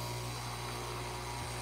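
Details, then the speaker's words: Breville Barista Express espresso machine when the brew button is pressed: steady low buzzing drone with a brief stumble as brewing starts, heard only intermittently; the pump seems to strain. A faulty pump is suspected, unconfirmed. "Because whenever we press the button, you hear that funny noise, but sounds like almost."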